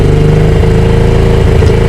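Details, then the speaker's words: 2022 Honda Grom single-cylinder with engine light: fast, busy idle that sails away after a throttle blip and won't drop, missing audible, on road only revs to 6500 in every gear; high idle. "It's going fast idle itself. And then usually when you're out on the road it'll only go to 6.5. Right. Every gear. And you can hear it missing as well."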